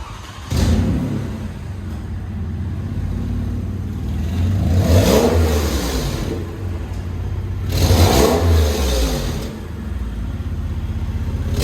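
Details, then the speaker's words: 2005 Lexus RX330 petrol engine started and revved three times outside the car; a raspy puffing exhaust leak swells on each rev, loudest when floored, from the exhaust manifold gasket area at the front, where a busted, rusty bolt will be replaced with a new one. "all right so the exhaust leak is coming from this seems like the bolt is uh pretty busted so we're going to be replacing with a new bolt"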